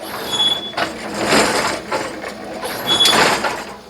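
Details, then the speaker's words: Brunswick GSX pinsetter sweep wagon driven by its motor: high thin squeak twice over light clatter; suspected from one side but unconfirmed, no bolt heads hitting or binding; addressed by lube and position adjustment. "so let's stop it right there shut it off let's go back into pin light so we've stopped it where we hear the squeak let's hop back down I think that this squeak is coming from this side but I can't confirm"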